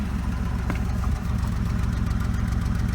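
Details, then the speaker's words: Oldsmobile Cutlass Ciera wagon, sat for months after leaving Florida: uneven, choppy idle with a low lumpy pulse and an intermittent sharp exhaust pop, an intermittent misfire; owner suspects coil pack, mass airflow sensor or bad gas. "I don't know the exhaust the engine idles differently than it used to but it's still doing that pop you can hear it it it it's very choppy"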